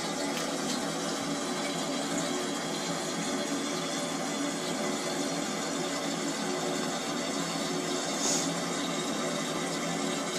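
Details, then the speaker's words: Toilet cistern refilling after a flush, after fixing a leaking siphon membrane that let water run into the bowl: even, steady rush of water with no surging or trickle; normal refill. "all right let's flush the toilet now and she'll see what we want about that's the toilet filling up"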